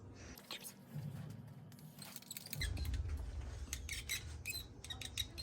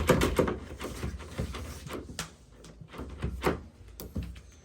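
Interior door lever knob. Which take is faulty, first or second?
first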